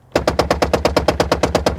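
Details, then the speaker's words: 2000 Toyota Camry rear door power window: rapid banging machine-gun clacks about seven a second when raising the glass, fine going down; diagnosed as motor/regulator problem, regulator replaced with genuine Toyota parts. "we hear this kind of a machine gun Kelly sound going on here, right? If we bring it down, it sounds okay. But then as we go up, we get the machine gun sound there."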